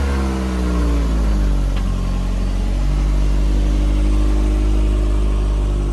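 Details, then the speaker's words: Toyota MR2 after manual conversion, idle settled, possibly by sorting a stretched cable: brief rev dropping to an even, steady, smooth idle with no knocks or hunting; runs well. "So we've managed to settle the idle a bit. I think I had the cable was a bit stretched out. It's running good."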